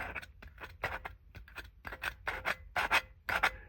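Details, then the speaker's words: Lexus LS430 Mark Levinson subwoofer being refoamed, dust cap cut off and paper shims fitted to centre it: scratchy, crunchy rasping bursts about twice a second as the cone is pushed; voice coil rubbing, owner suspects the coil may be bad. "And it's a little crunchy, it seems like. So this may be just a drill, and this voice coil may actually be bad."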